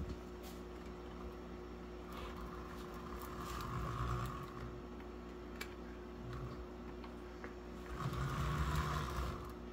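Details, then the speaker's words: HO scale Rivarossi Big Boy locomotive during rebuild, running on DC without tender: low steady hum with gentle rhythmic purr, no grinding; runs well though some crackling and shorting indicate wheels need cleaning. "let's go ahead and see how he does run in DC. Runs actually pretty good."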